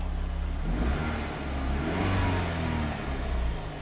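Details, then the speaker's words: 2005 Chrysler PT Cruiser 2.4 L turbo, 5-speed manual, start-stall complaint; scope on PCI bus shows 0–8 V and the immobilizer light is off. Engine revs smoothly up and back twice with no misses; known-good running. "And immobilizer light is off. So we can run the car. It should run just fine."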